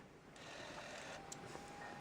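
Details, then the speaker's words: Sega Dreamcast not reading discs, on the bench partly disassembled with a wedge on the corner to make the disc spin: faint steady whir of the disc spinning up with light ticking as the laser moves, reading the disc; normal optical drive spin-up and laser seek. "you can hear the laser moving. I don't know if you can hear that, but there you go. It's spinning the disc up and it's reading it."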